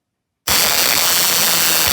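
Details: Homemade pulse jet ignition: a 6-volt battery pack and guarded momentary switch drive the spark plug, giving a harsh, even electric crackle for about a second and a half; spark is firing properly, though the engine won't self-run.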